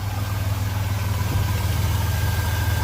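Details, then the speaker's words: Chevrolet S10 Blazer LS petrol engine idling after a serpentine belt, tensioner and idler pulley replacement: a steady, even low rumble, with the earlier whining noise from the belt drive gone. Normal idle. "nothing flew off everything's router correcting there's some spinning I can't hear that little one that little whining noise anymore"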